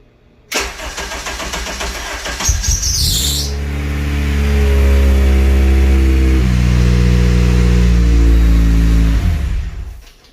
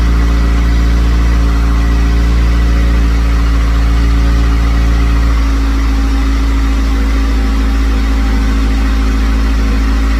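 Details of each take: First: Car first start-up after intake manifold, throttle body and vacuum port work, intake manifold tuning circuit disabled, battery on engine start; cranks briefly, catches cleanly, settles into steady even idle, no knocks or misses. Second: C5 first start-up, coolant just added, on a jump: a loud idle that sags with a faint whistle. The idle is surging; a vacuum leak at the manifold vacuum ports is suspected, not confirmed.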